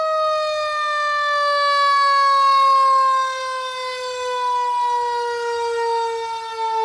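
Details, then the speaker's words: 2019 Q mechanical siren with late-80s chopper and clutch, returned to service on 2020 pumper: strong steady wail holding pitch, then winding down as rotor coasts; sounds good. "let me know if it's slipping or whatever. Okay. But it sounds good."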